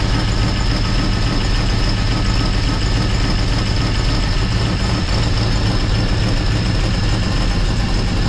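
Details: 1955 Chevrolet Bel Air four-door with Gen III LS V8 (4.8/5.3/6.0) running a Comp Stage 1 Thumpr hydraulic roller cam, changed intake and headers, not yet tuned: deep loping idle, rolling uneven beat about three or four times a second; normal performance-cam idle.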